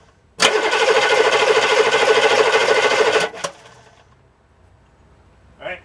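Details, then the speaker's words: Diesel engine starter (starter shims video), camera right under the starter: steady whirring crank for about three seconds, then a clean cut-off and quiet spin-down; normal starter cranking. "I'm going to put the camera right under the starter. And you'll hear what it sounds like when it cranks and when it spins down."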